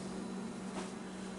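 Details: A newly installed Harbor Breeze ceiling fan on low speed. A steady low hum under an even soft rush of air, with no ticking, rubbing or wobble; it runs smoothly.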